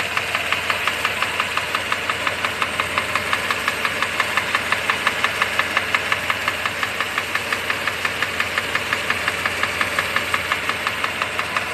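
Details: Mercedes W126 500 SEC V8 idling smoothly with a crisp, even knock about three times a second; cause unknown.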